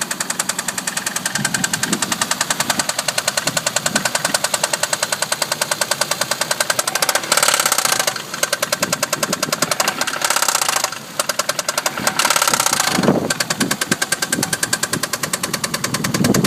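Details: Toyota Cressida MX83 petrol engine running with a sharp, fast metallic knock tapping steadily over the running sound.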